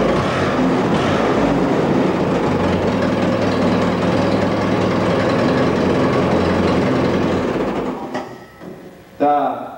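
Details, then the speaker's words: Allis-Chalmers tractor engine after a complete rebuild, with distributor timing set: an even, steady drone with a regular beat and quiet tappets, idling cleanly until it is shut off; it starts and runs well. "starts up good and it runs good sounds good the taets are quiet and uh all of it sounds pretty good right now"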